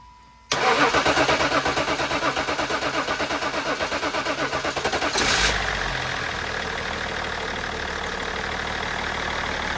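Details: BMW E39 530d M57 diesel started after valve cover gasket replacement and fuel system bleeding with the pump run via diagnostic tool; cranks briefly, catches quickly, settles to a steady, even idle with no misses or knocks; healthy start.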